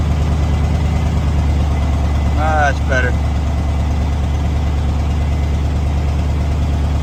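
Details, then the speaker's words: 1994.5-97 Ford 7.3L Powerstroke turbo diesel, 300k+ miles, after IPR valve replacement, still cold: deep idle with uneven lumpy beat about three per second; air in high-pressure oil system. "yeah it's just air so we'll have to get all that out"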